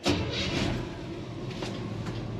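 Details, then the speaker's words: 1958 Chevrolet 3100 Apache, 283 small-block V8 with TH350 automatic, restarted after shutdown: catches quickly and settles to a steady, even idle. About 30 psi oil pressure, charging, temperature just off cold. Normal start. "Starts up good."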